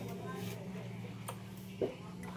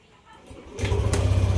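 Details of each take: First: Yamaha Aerox 155 v1 Keyless showing error 12: starter cranks the engine steadily with a brief clatter but it never starts; crank-no-start traced to a faulty crankshaft position sensor. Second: Yamaha Aerox 155 Keyless scooter with an error 12 (CKP sensor problem) no-start, after reassembly with error 12 still displayed: cranks briefly, catches cleanly and settles straight into a steady, even low idle.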